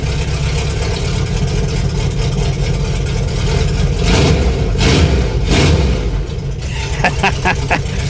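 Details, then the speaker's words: 1988 VW Vanagon engine running with muffler and cat cut off, exhaust broken at the header, owner suspected they were clogged and causing engine issues; very loud raw open-pipe bark at idle with sharp throttle blips, "sounds like a race car." "Sounds like a race car. That's awesome."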